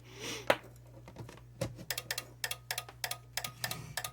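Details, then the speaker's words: Onkyo R-805X mini receiver: sharp relay clicks repeating about four times a second, no standby light, no screen, won't power on; failed small capacitor in the standby circuit, a known fault as these units age. "boy isn't that annoying no standby light no screen can't turn it on very annoying little relay clicking in there not turning on"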